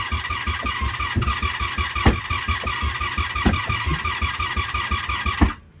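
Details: 1987 Honda Super Magna project with a new battery and spark plugs, on choke with fuel just turned on and carbs likely dry: steady, rapid starter churn with even compression pulses that never catch. Cranks but won't fire yet.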